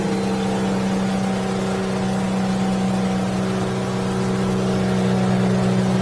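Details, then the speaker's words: New 2023 Yamaha F300 outboard on a North River 24 Seahawk, giving gas after trimming down through a turn: smooth climbing drone, prop holding water with no cavitation or blowout; normal acceleration. "cavitation I'll give it some gas no blowout all right perfect"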